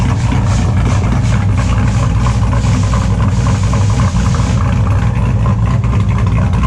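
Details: 2002 Chevrolet Silverado with an LS engine and a cable throttle body, idling after a cold start: extremely loud, deep, lumpy cammed lope, firing evenly on all cylinders with no misses; owner says the motor runs good; normal idle.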